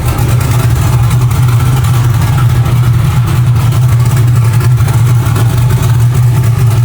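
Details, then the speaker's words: Chevrolet Nova, still a little cold, running on pump gas with a tune set up for methanol that is only good enough to move it around: loud, deep, lumpy uneven idle. It runs rough due to the wrong fuel and tune. "Yeah, she's still not running super great. Um, it is on pump gas right now. That's why it's it's not happy. That tune really isn't like super dialed."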